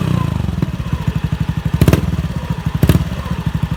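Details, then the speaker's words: Honda Beat FI scooter, hesitant at low and high revs: even idle thumps with sharp throttle blips that bog and stumble instead of climbing cleanly. "Pada kesempatan kali ini sini terdapat tugas motor Beat FI dengan kasus selalu ngempos atau berebet pada putaran bawah dan putaran atas."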